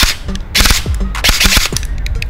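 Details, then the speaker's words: AEG airsoft V2 gearbox test-fired after the motor height was loosened so it does not sit too deep on the bevel gear: quick bursts of sharp clatter start and stop cleanly with no dragging or strained whine; mesh now correct. "Nah suaranya mic ini terlalu dalam jadi kita harus kendorin semotor enggak terlalu ke bevel gear nah sampai suaranya enggak ada hambatan kalau sudah tapi udah cukup oke"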